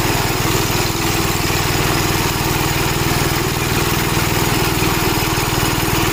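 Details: Gravely Model L tractor with governor, already run earlier, after its blown head gasket was replaced; single cylinder thumps at about four beats a second, steady and even under the governor. Runs healthy, though an oil leak remains to be found.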